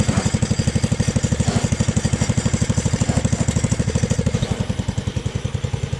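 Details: Jacobsen Chief 1000 tractor, Kohler K241 engine, after freeing stuck carburettor float needle and new fuel line; steady, even low thumping at constant idle, no misses or knocks, running smoothly.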